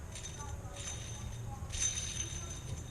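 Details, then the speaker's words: Accessory-drive pulley removed from the engine and spun by hand gives a quiet, gritty, scratchy rattle in bursts, grabbing the finger. Its bearing is shot and the source of the whining noise. "and I'm sure you can hear that that bearing is shot you see how it's grabbing my finger"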